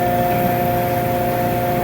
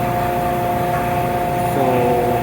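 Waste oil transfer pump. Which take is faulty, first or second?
first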